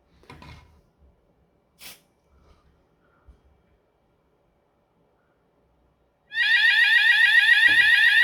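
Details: Hochiki ESP addressable fire alarm system, weekly test: a few quiet handling knocks, then a loud, steady, high warbling electronic tone starts and holds; the sounder is working properly.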